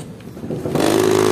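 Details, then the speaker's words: Electric massager the owner says is noisy: a quiet hum jumps to a loud buzzing rattle and excessive vibration when the motor switches on; cause not yet found before opening. "Masyadong malakas ang ingay. Masyadong vibration."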